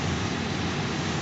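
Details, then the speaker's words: Chevrolet C7 Corvette new replacement blower motor, old one had been sticking: steady, even rush of air with no squeal, ticking or rubbing. Normal operation; slightly louder than before but blowing harder. "I'll call this a success. Actually, I think it might be louder than it was before, but blowing harder than it was before."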